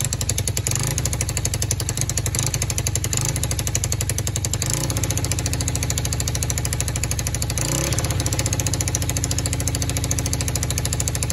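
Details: Free four-wheeler (quad) with non-working start button, started by jumping the solenoid; fast, choppy exhaust pulses at idle that waver and stumble; rough running, carburetor needs fixing, cause not confirmed.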